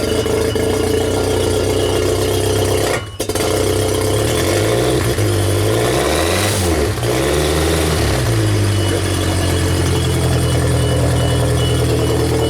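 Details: 1992 Genie boom lift petrol engine started after wiring repairs, before switching to platform mode (where it previously stalled). Runs steadily, settling and rising in speed smoothly with no stumble or cut-out: normal running.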